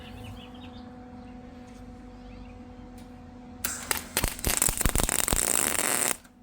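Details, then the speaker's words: Welding expanded metal decking back onto a utility trailer, unsandblasted: after a quiet hum the arc pops and crackles irregularly, sputtering on paint before burning through to bare metal. "You can hear when she burns through that it's welding. So these are going to be all pretty ugly because unless I sandblast or something, I'm not going to get through all that stuff."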